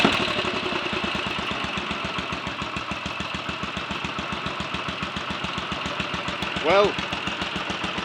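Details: Royal Enfield 500 single (Asbo 34) after rebuild (ported head, barrel shortened 2 mm, Hitchcock's 9:1 piston), third start after adjustments, timing set by strobe: even lively thump with no misses or stray noises, no apparent issues; healthy idle.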